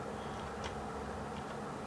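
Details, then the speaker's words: Be Quiet Dark Rock Pro 5 air cooler in a 16 L Sliger S620 case, CPU render load on a 12700K pulling about 193 W, fans capped at 70%: soft, even airflow rush with no ticking or rattle; normal, comfortable fan operation under load. "so it does ramp up to that 70% level this is where I've capped it at and despite that can still run at a fairly comfortable"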